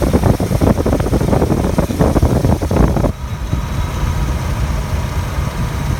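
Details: 2002 Chevy S10 petrol engine at idle after warming a little: the grinding noise heard on cold start gives way to a rapid, uneven chirping rasp that stops halfway, leaving a smooth idle; cause unknown.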